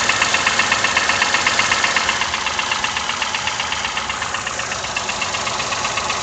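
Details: Toyota 1KR-FE engine at idle with new timing chain, tensioner and guide: sharp, very regular tap about four times a second over the idle; engine knock, cause unknown.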